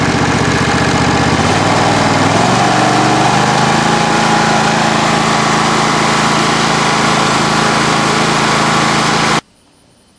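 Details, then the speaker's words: John Deere SST18 lawn tractor, 160 hours, throttled up to warm the oil before an oil change: engine note climbs over two seconds, then holds a steady, even high-throttle drone until shutoff; runs clean. "now the engine's running real good I'll go ahead and throttle it up warm up the oil shut her down and I'll go ahead and change"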